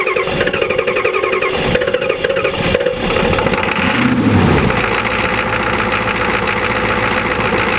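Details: 1985 Ford 6.9L IH diesel after sitting about 5 months, glow plugs disabled by a failing controller, compression possibly a bit low: long, laboured cranking before it stumbles and catches, then uneven clatter; cold hard start without glow plugs.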